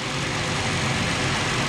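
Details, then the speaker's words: 2016-2021 WK2 Jeep Grand Cherokee 3.6L V6 idling after water pump replacement, warming up, coolant near max: steady, even hum with light accessory whir, pulleys turning, no knocks or ticks; normal idle. "sounds good pulleys are moving everything looks good our work looks good so far"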